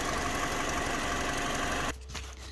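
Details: Mini R56 with N12 engine, backfiring through the inlet, cam sensor being back-probed: rough, uneven note that drops out abruptly after about two seconds; intermittent misfire and break-up that persisted after a sensor swap, leading to DME unit replacement.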